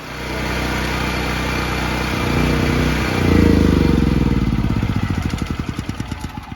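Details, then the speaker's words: Firman T07573 tri-fuel portable generator, new out of the box, running on propane after first refusing to start (owner suspects flooding with choke): steady single-cylinder chug settles into an even beat, then fades. Normal running. "I don't know what the deal is but now it's running and it's pouring again"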